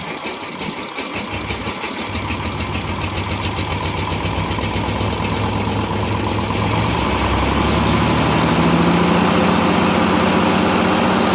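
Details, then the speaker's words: 1957 International S120 4x4 pickup, cold start after about four years sitting, straight-pipe exhaust: catches and settles into a steady, even rhythm building slightly as it warms, no knocks or misfires; healthy-sounding old engine. "think actually a good runner when it's running"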